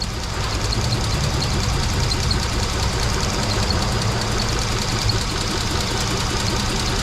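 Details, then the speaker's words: 2003 Mitsubishi Eclipse/Lancer with code P0300, power loss, and only two of four cylinders working: lumpy idle with irregular stumbles that continues with a coil disconnected, ruling out the coil. The misfire is traced to a faulty engine computer. "pues a simple vista el motor sigue fallando miren el motor sigue fallando igual es decir la bobina no es estamos desconectados y el motor sigue fallando demasiado"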